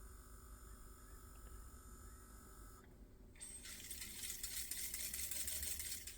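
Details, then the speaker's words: 1985 Pioneer PD-5010 CD player, disc inserted: quiet hum, then a hissy scraping whir struggling to spin up; possibly not enough weight on the disc. "It tries to spin. Okay, so it's possible that there's not enough weight on that, so you can hear it actually trying to spin up."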